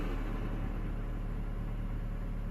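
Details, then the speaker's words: 2011 Scion tC manual transmission idling in neutral, clutch out: steady low droning hum with growl underneath, absent in gear or clutch in; bad input shaft bearing, not release bearing. "because constantly on the manual transmission if that bearing goes bad and you're in neutral it's gonna make that noise"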